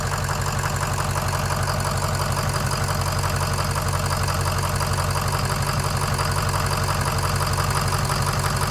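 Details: Ford 6.0 Powerstroke diesel idling with the oil fill cap removed for a blow-by check: steady, even clatter with no puffing or pulsing from the fill. Blow-by is acceptable.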